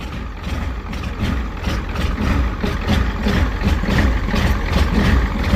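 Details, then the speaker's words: 1985 Ford F250 6.9 IDI diesel after abnormally fast start; heavy smoky idle with lumpy irregular knock about 2.5 pulses per second, owner suspects excess fuel; rough idle. "I think it's something to do with all of the fuel."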